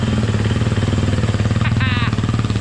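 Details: Stock KTM 350 EXC-F after battery replacement fixed no-start (starter had been suspected): even single-cylinder thump at steady idle with brief chirp midway, no stumble or dying; normal idle.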